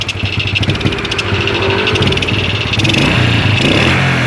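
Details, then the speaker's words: Suzuki Smash motorcycle, carb already checked and not clogged: engine revs unevenly, stuttering and sometimes dying when throttle is forced; ignition check points to weak spark not fully delivered. "Oke kadang nyantol kadang nggak Lur ya ini kalau di gas paksa mati"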